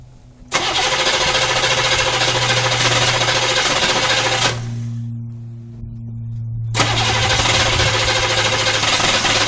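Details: 6.2 diesel Suburban idling after installing a freeze-plug 41mm block heater and new alternator and refilling coolant; steady, even clatter with low drone, no misfire or knock, voltage regulator working; normal diesel idle.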